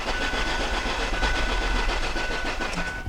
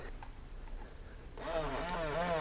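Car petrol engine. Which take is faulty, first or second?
first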